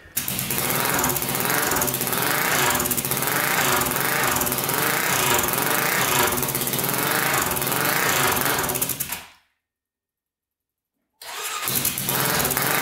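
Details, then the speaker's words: 1999 Honda 400EX turbocharged quad, after referencing the carburetor drain bolt to boost: loud, rapid single-cylinder thumping that picks up cleanly and revs out freely; runs a lot better. "all right that runs a lot better so that's uh actually revving out now"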